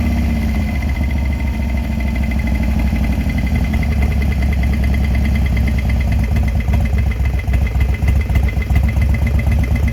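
Steady idle with a loose, fast tapping of roughly four beats a second over the engine's low rumble; it sounds like a knock, cause unknown.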